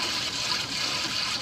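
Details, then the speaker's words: Culligan sulphur filter during regeneration cycle 2 after drawing half a pint of 35% peroxide, held for 10 minutes: steady watery hiss with soft gurgles and light sputtering from the drain as the mineral bed cleans; normal regeneration gurgling. "you can hear it gurgling now so it's starting that mineral is starting to get cleaned up real good"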